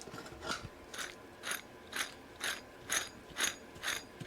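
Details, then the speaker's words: Mercedes-Benz S600 V12, rear hub turned by hand with wheel removed: gritty rasping pulse about twice a second, rough dry grind, with play; worn dry rear wheel bearing behind rumbling when driving over 35 mph. "that's the noise we here and there is play as well"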